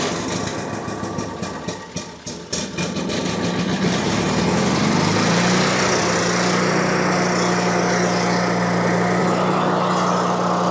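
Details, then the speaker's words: Miller Bobcat 225NT welder/generator with older Onan engine, after repairing a no-spark ignition fault: rough uneven cranking catches after a few seconds, then steady even low idle; successful repair. "All right, once it warmed up, it idled back down perfect, the way it's supposed to run. And we got ourselves a success story here."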